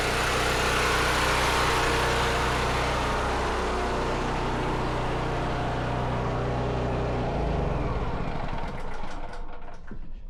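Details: Firman generator running on propane from a 75%-full tank: steady, even engine drone with no misses or knocks, then winds down smoothly when shut off; healthy normal running.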